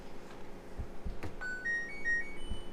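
Short rising run of clean electronic beeps over quiet room noise; the washer powers up normally.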